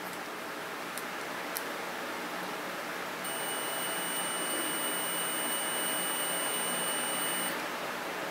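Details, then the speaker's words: Multimeter on diode/continuity test across a bulb: clean steady high-pitched beep for about four seconds without breaks, showing continuity; bulb filament intact. "We will go round to diode test. Which you can also use as a continuity test. And we'll see if it beeps. If it beeps, then the bulb is good."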